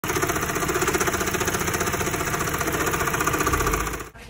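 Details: Car with worn AC auxiliary condenser fan motor: steady helicopter-like whump-whump about four times a second over rough hum.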